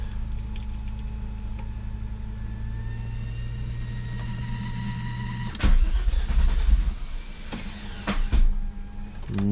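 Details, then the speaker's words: VR6 turbo wagon after a new fuel pump and fuel pump relay: a steady hum, then irregular heavy clanking on the crank attempt with no start. The starter seems to be popping off rather than engaging. A metal noise is also heard from the engine bay; cause unconfirmed. "really it honestly sounds like the starter is like trying to engage and it's like popping off or like it's not like the starter is having an issue trying to turn over the engine itself"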